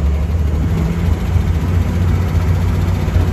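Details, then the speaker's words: 1970 International Scout on first drive in years: steady low rumble sitting high and even with no dip; engine idling way too high, cause not pinned down. "wait i hear that it's running way too high"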